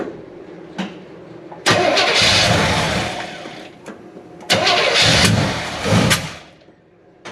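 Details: 1970 Chevy C10 pickup, 327 small block, HEI distributor, manual choke, cold start after ignition timing advanced: catches quickly on first crank, settles into fast even cold idle, second start fires just as cleanly; normal cold start.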